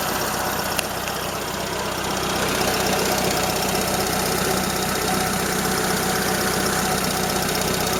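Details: Toyota Corolla Ceros, 4A-FE engine, C50 manual gearbox, idling: light regular tick about four per second; owner unsure if valve or gearbox shafts; slight exhaust corrugated-pipe leak also present.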